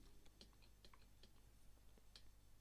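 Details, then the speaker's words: Throttle body from a 2004 Toyota RAV4, torn down on the bench: light irregular ticking and rattle from the throttle motor, which has left-right free play that delays throttle movement; fitting a replacement unit cured the fault. "now what I did notice was that noise you can hear that rattle from the motor there it goes again so there's a lot of free play in the motor before actually Stern's anything"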